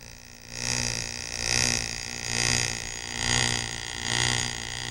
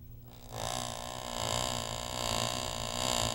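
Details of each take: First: Driveline demonstration model on a constant-speed electric motor, yokes set 90° out of phase, card held to sprocket on second shaft: whirring surges and fades twice per revolution as shaft speed varies; universal joints out of phase. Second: U-joint driveline demo, yokes back in phase (parallel): card flicking the first shaft's sprocket gives a steady even buzz with no rise and fall in pitch; first shaft turns at constant speed, second varies, third constant when U-joints phased at proper angles.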